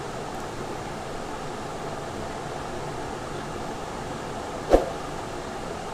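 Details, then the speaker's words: Samsung inverter AC outdoor unit during outdoor PCB repair, with the indoor and outdoor boards and the fan motor connected for a test. A quiet, even whoosh with one brief handling click shows the outdoor fan motor running well. "Fan motor connect பண்ணிவிட்டு இப்போ பாருங்கள் check பண்ணி பார்ப்போம். பாருங்கள், fan motor நல்லா ஓடுது."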